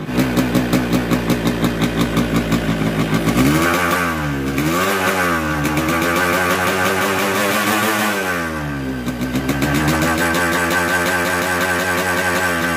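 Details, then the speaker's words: Newly bought Yamaha RX King two-stroke with a 125Z head, block recently rebored: rough, uneven beat with a gritty rattle that swells when revved; a worn crankshaft bearing and a seal chewed into the gears; connecting rod and block replaced. "kali ini ada R1 RS King lagi ini baru dibeli jadi suara mesin sangat kasar"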